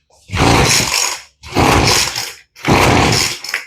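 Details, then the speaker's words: Two-stroke blower with freshly rebuilt carburettor, low-speed screw (closest to engine) opened half a turn, on choke: three rough one-second bursts, each firing then dying; will not keep running, likely still lean on low-speed mixture. "oh and you heard that so now we're not going to choke it anymore and it almost wants to start"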